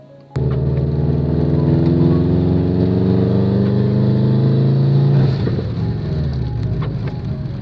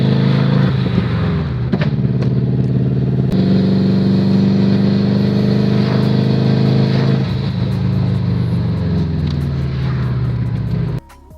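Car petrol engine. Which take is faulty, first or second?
second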